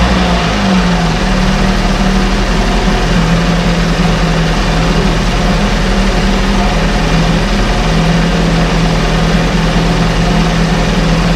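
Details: 1968 Evinrude Fastwin two-stroke outboard, 52 years old, run in a test tank with no work done; steady, even buzzing run at constant low pitch, no misses or knocks; normal idle.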